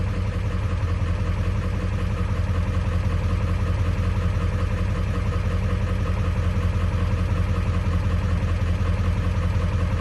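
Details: Cold 7.3 Powerstroke diesel after IPR replacement, warming at idle: an even, low clatter near 160 a minute with no misses. IPR holds around 20.3%; the owner notes it stays high until warm, maybe from thick oil.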